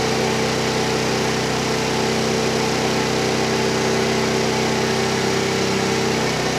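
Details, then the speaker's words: Tao Tao Pony ATM 50 scooter, 50cc GY6 139QMB engine, newly assembled, first cold start: thin buzzy single-cylinder drone held well above normal idle by the auto choke; idle speed too high, to be set to factory spec. "all right so start it up you can tell the idol is really really high I'm gonna hook up my tachometer and adjust the idle speed to the factory recommended specifications"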